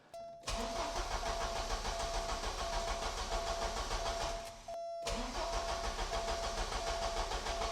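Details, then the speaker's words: 1986 Porsche 944 with a brand new fuel pressure regulator and all four injectors plugged in: starter cranks steadily at about three turns a second with a faint whine over two attempts, never catches; injector problem suspected, unresolved. "if it actually fires right now then that means it was in fact the fuel pressure regulator otherwise it's not going to fire with all four injectors plugged in"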